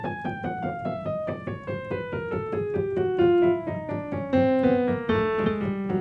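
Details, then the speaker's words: Kioshi Gen-1 digital piano after being calibrated twice: a falling run of notes with several keys far louder than their neighbours and one key not sounding at all; uneven key velocity caused by incorrect sensor rail height. "it clearly doesn't sound right this one doesn't even work it's not good"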